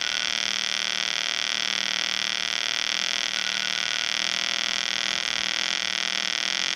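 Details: EWM Tetrix XQ 230 Puls AC/DC Expert 3.0 TIG welder, pulsed, rigid curve mode, fairly aggressive: steady sharp high-pitched buzz with faint slow throb; amperage lowered once the workpiece is hot. Pulsed TIG arc running cleanly.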